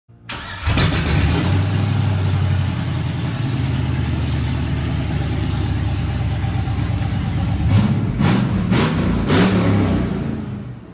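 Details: 1983 Chevy K10 with an LS swap, first start: it cranks and fires at once, settles to a steady even idle, then takes a few clean throttle blips with no misses or knocks. Normal start and idle.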